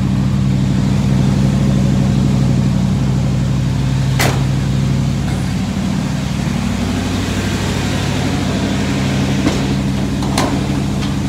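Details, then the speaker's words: 1963 Chevrolet Impala SS with non-original V8, after throttle linkage work: deep, steady idle with an even low rumble and no popping or stumbling; engine running smoothly and sounding healthy. "there we go hear the difference not idling I [Music] sounds like a beast"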